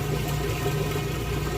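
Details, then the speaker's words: Kenmore washer moving from wash into rinse cycle: steady low hum with even unbroken tone as water drains out fast, no rattle or grinding; drain pump working normally. "alright we're moving out of the wash cycle into the rinse cycle it's gonna kick in and drain that water out there goes and you can hear it"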